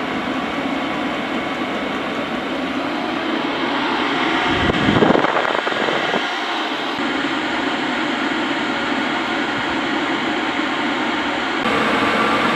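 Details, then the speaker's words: Cheap Chinese diesel night heater from eBay, building up to full capacity as the LCD bars fill: steady fan roar with a soft combustion rumble, the air rush building and then holding even. Normal diesel heater operation at full output. "it's going to keep this process going now so you can hear the entire build up and see when it's working at full capacity"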